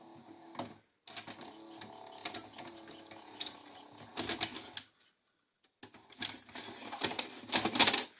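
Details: Grandin two-head VCR, model 97, multi-standard and UK-built, with a cassette-insertion problem, before cleaning: bursts of clicking and whirring that stop and restart as the mechanism hunts erratically. The mode switch is suspected of being dirty.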